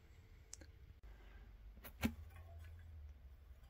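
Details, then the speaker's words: Mountain bike disc brake after cleaning the disc and refitting the wheel with quick-release: faint light ticks every so often as the wheel turns as a pad touches the disc; caliper needs adjusting. "obvious it is, but you can just hear it touching the brake every now and then and I'll show you how to adjust that."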